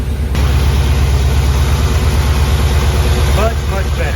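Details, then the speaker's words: Budget Chevy Nova V8 after engine rebuild and reinstall (two pistons had been installed backwards causing slapping; a loose rocker was then tightened and readjusted): steady, even idle with smooth low rumble, no ticking or tapping; the noise is gone. "all right so the motor's not making a noise anymore I couldn't be happier about that"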